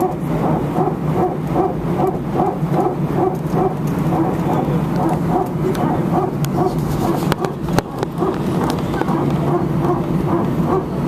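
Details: Air France A319 cabin, seat 18F, taxiing at Sofia before takeoff to Paris: rhythmic barking pulses, about two to three a second, over steady cabin hum; repeating bark of unconfirmed cause.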